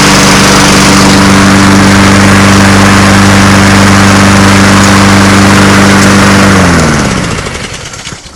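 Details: Honda mower after wheel drive gear repair, started on choke: a steady, even drone with no misses or surging, then a smooth spin-down at shutoff. It runs normally, though it smokes at every start and the oil is not overfilled.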